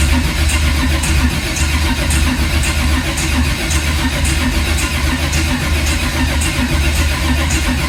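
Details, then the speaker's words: 1980 Camaro on its first start attempt: the starter cranks steadily at about two beats a second but the engine never catches. The coil/distributor was miswired, so there is no spark; fuel supply is plentiful. "tributor, so we had no spark, and that's why it wouldn't start."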